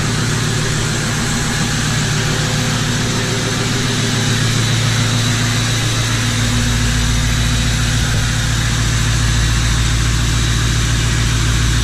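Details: 1977 Ford F250 crew cab with a swapped 6.0L Powerstroke diesel, freshly running after the swap; even, loud diesel idle with steady clatter about three and a half beats a second, no misses, smokes a little; healthy normal idle.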